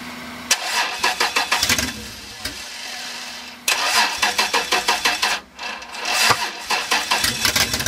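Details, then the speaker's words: 1994 Toyota 4Runner 5VZ-FE 3.4L V6, first start after rewiring, fuel pump jumped, exhaust pipe in view; two long cranking bursts with uneven firing that catches and dies, suspected insufficient fuel, fuel pump to be taken apart. "I don't think she's getting enough fuel now so freck I'm going to have to take apart the fuel pump"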